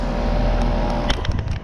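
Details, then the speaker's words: 2002 two-ton scroll-compressor heat pump outdoors, about 74°F, just turned on: steady low compressor hum with even fan whoosh, no rattles or knocks; healthy normal running. "scroll sounds nice 2002 two ton it's going to get cold now this thing actually sounds this thing actually sounds really nice listen"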